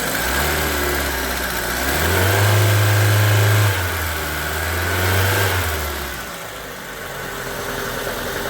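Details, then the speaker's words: Hyundai Getz petrol engine, first cold start after replacing hydraulic lifters: a smooth idle with a light throttle blip and no valve tick. Lifter knock fixed, with slight cold jerkiness remaining. "Ну зараз прогріється побачимо але вже видно що проблема зі стуком гідроконденсаторів вирішена"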